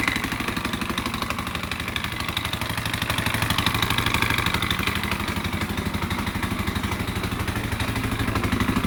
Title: KTM 520 EXC 2001 knocking noise